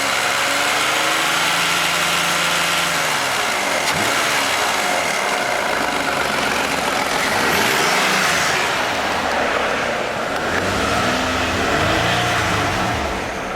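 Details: Toyota Aurion with oil light on and buzzing from the engine, clean oil but sludge inside: a rough whirring drone rising and falling with revs; oil pump starving on a sludge-blocked pickup screen.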